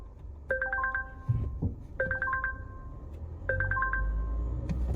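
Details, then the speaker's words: Wrecked 2020 Volvo, just restarted with no coolant and the bonnet open: a repeating cluster of bright warning dings about every second and a half over a low idle; owner suspects the open bonnet triggers the chime. "And that dinging's doing my head in. That's probably because the bonnet's open, isn't it?"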